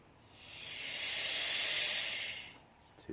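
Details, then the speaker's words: Petrol generator unused about 5 years, converted to propane with the gas line in the petrol inlet and a faulty full-on regulator: soft hiss swells and fades as the bottle valve is cracked open, gas flowing in. "So you can hear that, there's gas going in it, don't it?"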